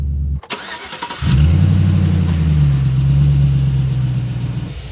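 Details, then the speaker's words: 2006 Chevy GMT800 Vortec V8 truck after replacing the bad ignition starter switch: short crank, catches right away and settles into a smooth steady idle with no misses or knocks; normal idle. "away oh yeah it's running good now no problems it's running smooth started right up this is is fixed"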